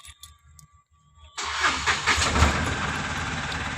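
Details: Mahindra Supro BS6 diesel that would not start with a 133 km reading, old motor refitted and codes cleared to history: engine catches at once and settles into a steady, even diesel run with no stumbling; normal start.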